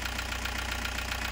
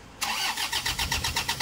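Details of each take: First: Toyota Hiace 2KD diesel after repair, restarted following a long crank to bleed air from the high-pressure line: even, steady diesel clatter at idle with no stumbles, shakes or misses. Previously it shook and lacked power. Normal idle. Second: Toyota Hiace 2KD diesel with lost power, shaking engine and stalling when throttle released: starter cranks about three seconds before the engine barely catches; hard starting, with low fuel rail pressure, injector leak-back, return leakage or low compression suspected.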